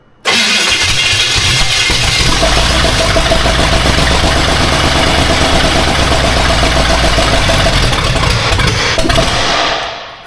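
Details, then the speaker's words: Austin's Buick after more fuel: catches quickly into a slightly uneven, busy, lumpy idle; runs, owner thinks it needs a tune-up and new plugs. "I think it needs just a tune up, some new plugs and some stuff like that, but. It runs."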